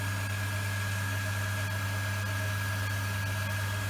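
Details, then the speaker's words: Workshop rainwater recycling pump on polystyrene stand after repair, running while toilets are flushed to build pressure: smooth, very quiet even motor hum with deep steady note and clean high tone, no knocks or surging; healthy. "I just push both toilet give it a good run it's very quiet nice and quiet now"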